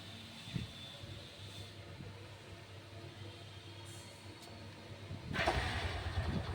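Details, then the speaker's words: Mahindra Centuro in gear after straightening a bent chain that caused a rear kat-kat clacking: quiet, even hum with no rhythmic clacking from the chain, drive now smooth and healthy. "तो भाई कोई आवाज नहीं है कटपट की बिल्कुल okay report"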